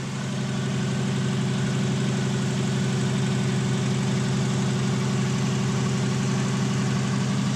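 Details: 1991 Volkswagen Westfalia with a Subaru flat-four conversion, stainless exhaust: smooth even idle with a steady low burble, no misses or tapping; engine running healthy.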